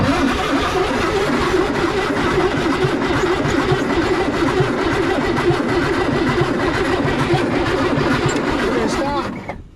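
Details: 1961 Chevrolet Corvair, first start after purchase: the starter cranks the engine steadily for about nine seconds with no catch or firing. Power is confirmed at the coil, the distributor cap looks new and fresh gas was added; rotor and points are untested. Cranks but won't start.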